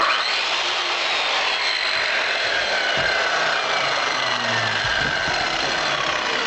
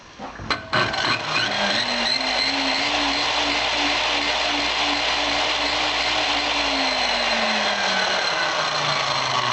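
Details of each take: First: Circular saw running on a pure sine wave inverter, after struggling to start on a modified sine wave inverter: even, high-pitched motor whir at steady speed without buzzing or stuttering; runs properly. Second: Circular skill saw run from a 3000 W modified sine wave inverter on 12 V DC: motor hums up slowly and unevenly, pitch climbing sluggishly into a rough buzzy run; poor start compared with pure sine wave inverter.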